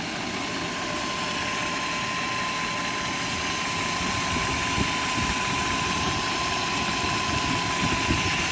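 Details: 1997 BMW 540i M62 V8 idling with fast light metallic chatter and a steady whine; owner suspects timing chain rattle, not confirmed.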